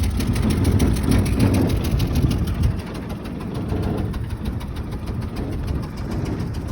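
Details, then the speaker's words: 1966 Chevy C-10 running on a temporary 1-gallon tank under the hood, heard standing outside the truck: low lumpy idle with a light fast tick about three per second on top, suspected exhaust leak. "Sounds like we're gonna have a little bit of an exhaust leak. You can hear it, everything else happening."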